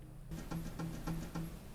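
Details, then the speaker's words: Constant clicking from the back of a KitchenAid/Whirlpool refrigerator (KFIS29BBBL, KFIS29BBMS, WRF759SLAF type) that is not cooling: steady light clicks, three or four a second, from a stuck three-way refrigerant valve solenoid, with music behind. "if you have one of these units and they're not cool and they're making a constant clicking sound in the back like"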